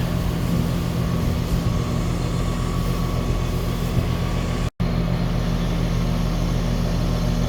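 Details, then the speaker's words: Outdoor condenser of a 2-stage central AC at a rental property, fault was only miswiring, running in stage 2 at about 18 amps, 20% above stage 1; steady low rumble, even fan and compressor drone, nothing abnormal; normal running. "So appears to be working. That's all it was wiring."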